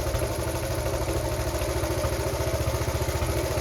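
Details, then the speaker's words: Honda Cub C70 under restoration, single ticks over at a steady, fairly even idle with a soft regular beat and no knocking; normal idle. "oh yeah I'll set it to where I want it though I think I think the air screw is where I want it"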